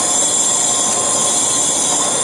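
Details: VW Passat engine, timing reassembled after a previous botched repair, on a leak-down test with the engine off: steady high-pitched hiss of escaping air. Cylinder one leaks past a bent intake valve, suspected from running with a broken belt or mistimed cranking.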